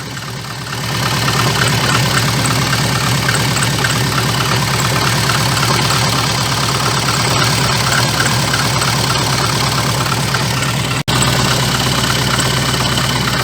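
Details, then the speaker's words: VAZ 2114 engine: fast, uneven clatter about three a second over the engine hum, worst when dropping throttle after revving to 2,000–3,000 rpm; cracked crankshaft damper pulley with play wobbling on its hub. "это когда вот я допустим газую до 2 до 3 тысяч оборотов и сбрасываю и вот в момент когда сбрасываешь газ начинается эта вибрация"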